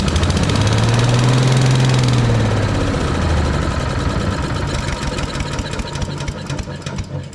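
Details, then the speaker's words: Briggs & Stratton single on an Agri Fab Mow & Vac leaf vacuum, run on fuel poured into the carburetor after valve adjustment, possibly flooded: settles into steady even chuff, about 3.5 beats a second, no knock; valve adjustment may have fixed it. "actually doesn't sound too bad maybe I will try to get this thing going we might have fixed it by adjusting those valves like that"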